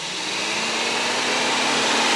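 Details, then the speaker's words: Radiator fan commanded to second speed during a Tech 2 fan diagnostic on an overheating car: steady rushing whoosh of air with a faint low hum; second speed works normally, though speeds one and three failed. "So the second speed is working and we're going to press again."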